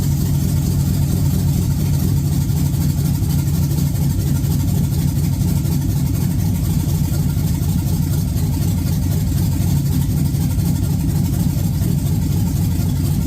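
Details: 1986 Chevy Caprice with swapped 5.3 LS V8, cam and 4L60E, gauge temp 74, on a 60 tune with check engine light on; steady, even low rumble, no misses or knocks over thirteen seconds: smooth normal idle.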